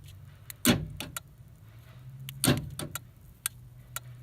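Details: 1994 Ford Ranger 4.0 4x4 with newly installed door lock actuators, wired through an auxiliary wire: two sharp clunks about two seconds apart over a low idle hum, with lighter clicks between. Lock actuators cycling properly.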